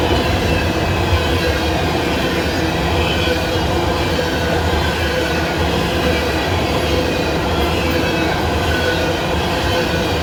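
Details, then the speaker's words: Coal train passing in Abbeville: loud rolling roar with gritty growl and faint squeal from the wheels; attributed to freshly ground rails leaving grooves, uncertain. "You can hear how noisy those rails are today because I don't know when they grounded them. I didn't see the train come through, but it sound like a fresh grinding on those rails."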